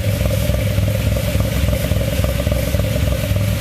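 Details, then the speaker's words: Cavalier cold start on old stale gas, running rich: lumpy uneven cold idle with stumbling rhythm and clatter over exhaust drone; sounds dirty. "the auto still on the camera may not capture it sounds so dirty I love"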